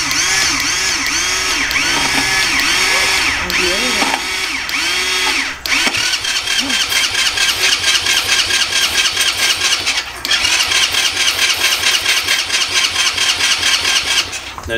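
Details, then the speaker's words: 50cc Japanese quad that sat for years, spark confirmed: repeated starter cranking that never catches, only the churn of the starter; stale fuel and a gummed carburetor, so the carb jets are to be cleaned. "go ahead and take it apart see if we can't clean it up clean the jets out and get this thing to start on its own"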